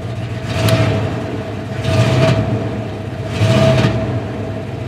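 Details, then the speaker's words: 1995 Dodge Ram 1500, 318 Magnum V8, automatic, 284,000 km, after a new fuel pump: uneven lumpy idle with a shake that swells and sags about every 1.5 s, and heavy oil consumption when warm. Intake plenum gasket leak. "it still runs really poor at idle it's got a bit of a shake to it and uh yeah it's consumes a lot of oil especially once it's warmed up but you can hear how crappy it's running at"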